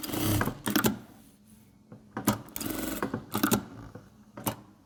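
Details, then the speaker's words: Sewing machine after adjusting the jerking, knocking reverse-stitch lever mechanism linked to the feed dog: short even stitching bursts with light regular clatter, no jerk, knock or vibration; runs normally. "и проверяем нету никаких порон посторонних шумов ничего не вибрирует ничего не стучит машинка шьёт хорошо"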